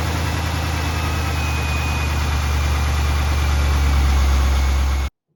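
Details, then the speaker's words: 1998 Corvette C5 V8 during restoration, before belt and pulley replacement and battery charging: deep steady rumble cranking and settling into even idle, voltage dropping to about 10.56 V while cranking; normal cranking and start. "Alright, so you've seen that as I was cranking it over and starting the engine, dropped to about 10.56 volts, slightly less than the previous test because this test was actually done before done all those repairs, before I changed the belts and pulleys and before we charged"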